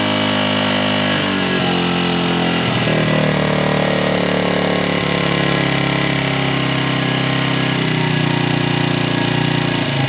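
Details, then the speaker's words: 1996 Honda XR100 single after sitting 2 years, carb refilled, just started on second kick: thumping that surges and sags unevenly as throttle is blipped; runs, carb still needs tuning. "Getting this bike going was just the first step in getting it to run right."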